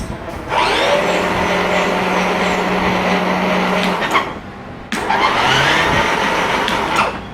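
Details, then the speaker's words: Electric kids' motorcycle with a new battery: steady electric motor whine runs about three seconds, cuts out, then spins up again; the motor works but the accelerator pedal (potentiometer with sprocket) sticks down when pressed. "Yeah, as you can hear, it is working. But like I already thought, the gas pedal is stuck. Uh if you push it in, it stays down."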